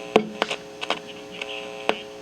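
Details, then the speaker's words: 1961 Sears Silvertone console tube stereo (12AX7 phase inverter, 6CA4 rectifier) being diagnosed: only low 60 Hz mains hum, likely picked up off the plate voltage, with scattered probe clicks and no program sound; the signal does not get past the IF transformer. "It's picking up 60 hertz hum off the plate voltage or something."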